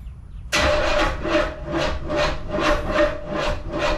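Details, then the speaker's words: Chevelle with a cammed V8 at its first start after a rebuild with a Comp cam kit, double roller timing chain and new lifters; catches quickly, then settles into a loping idle pulsing about twice a second with no knocks: normal start and idle. "come on hey holy [ __ ] she's alive [ __ ] look at this man it works Daisy it works"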